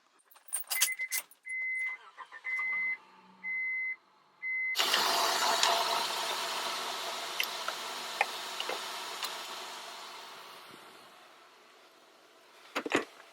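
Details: 2002 Honda Odyssey right after starter replacement, dead battery jump-started: a few door-chime beeps, then a brief crank and the engine catches cleanly, settling into a steady idle that fades down; normal start.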